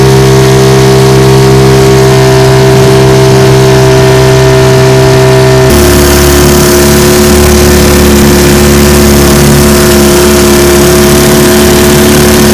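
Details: Restored 1950 Johnson TN-28 5 HP outboard on final bayou test run: even, steady two-stroke drone with firm tone holding smoothly under load, no misses; runs pretty good.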